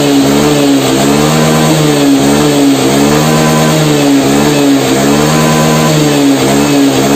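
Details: Honda Beat fuel-injected scooter that had lost top-end power, revved after the fix of adjusting the TPS with a hose instead of replacing it: a strong, steady high-rev drone climbing cleanly without stumbling; pulls properly.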